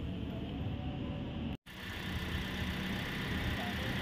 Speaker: Kalau kita lihat suaranya jernih halus gini toh, nanti suaranya nadanya seimbang, itu berarti mobil itu mobilnya itu bagus ya, itu bagus.